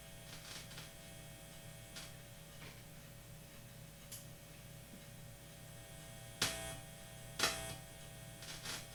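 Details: Guitar wiring with the Bob button reinstalled still hums; the hum disappears with the button on, and the owner suspects the button or chip. A low steady hum under quiet noise with sharp handling clicks; cause suspected, not confirmed.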